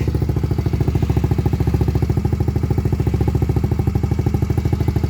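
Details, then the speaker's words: Lexmoto Gladiator 125 four-stroke, cold engine with slightly unsteady raised idle, silencer running with its baffle removed before a DIY baffle repair: harsh, rapid popping bark, much louder and rawer than stock. "let's give this a sound test shall we with no baffle and there we have it no baffle revs are a bit up and down because it's obviously cold"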